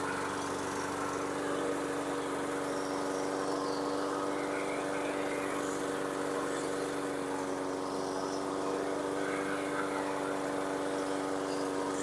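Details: 2017 Husqvarna LC 221RH self-propelled mower with a Honda GCV160 160cc engine, after the dead, possibly aftermarket recoil starter that stopped it was fixed: a steady, even single-cylinder buzz with no misses or surging; it runs healthy.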